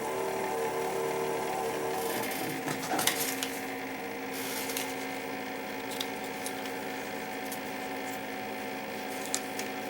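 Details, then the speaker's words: Keurig K60/K65 after clearing pump blockage and cleaning nozzle: soft even hum with faint steady tone as pump refills internal hot water reservoir after filling the cup, heater drawing about 1200 W; normal pump running after repair. "so what just happened there after it filled the cup was you heard the pump running to refill the hot water reservoir inside the unit"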